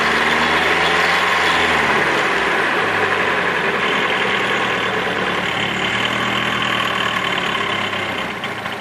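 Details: Nissan S14 SR20DET at rough idle with a dry metallic rattle, three to four taps a second; fixed by replacing the timing chain tensioner.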